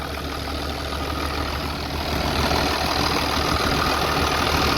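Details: 3588 tractor, 7,338 hours, freshly rebuilt diesel and tight new hood: even, steady idle with a soft low rumble and no knocks, rattles or misses. Healthy normal idle.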